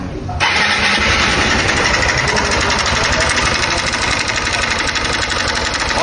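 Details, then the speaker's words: 160cc motorcycle: runs fine but loud rapid metallic clatter about four per second over the exhaust; engine to be disassembled. "só o barulho que se encontra galera esse motor um barulho imenso a moto funciona perfeitamente porém o barulho rapaziada está muito forte no motor dela"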